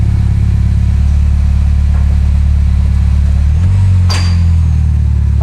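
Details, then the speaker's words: Mini with a newly fitted small exhaust silencer, plus catalytic converter and turbo, idling after first start: a deep, even, low rumble with no blowing or rattling. Surprisingly quiet; a lot of black smoke came out at startup. "really quiet. I'm surprised. I'm really happy about that."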